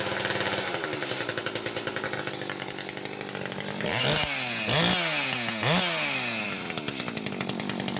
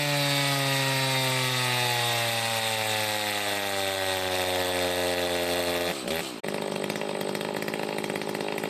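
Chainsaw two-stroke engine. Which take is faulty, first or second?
first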